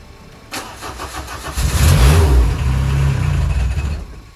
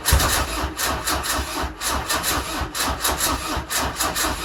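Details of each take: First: Peugeot 205 with a replacement engine block after a broken camshaft, first start after several attempts: steady even low beat with all four cylinders firing cleanly, though it does not yet hold idle. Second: Peugeot 205 diesel just after replacement engine fitted following broken camshaft, weak battery suspected: long cranking with rapid regular strokes, catching unevenly, never settling; hard starting.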